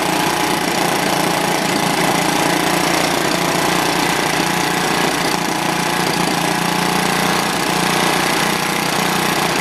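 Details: Old, worn Clinton B700-series single-cylinder engine (model B704, possibly from a rototiller), choke on, runs continuously with a steady, slightly uneven thump and no missing or surging after the carburetor clean; a tad smoky.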